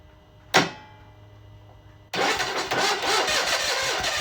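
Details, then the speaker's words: Onan engine on a Davis mini sneaker trencher (Case), first start after spark check, compression sounds decent: sharp cough, then catches and runs uneven and lumpy; owner thinks it runs on only one cylinder, cause unconfirmed. "curious she runs I think only out of this cylinder though"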